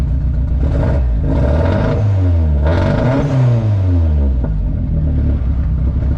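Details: Nissan 240SX S13 track/drift car with KA24DE turbo, cold start after fuel lines replaced, old fouled plugs swapped in: engine revs then settles with low uneven stumble, beat dropping out; still misfiring, runs very rich; owner suspects fouled plugs or dirty injectors.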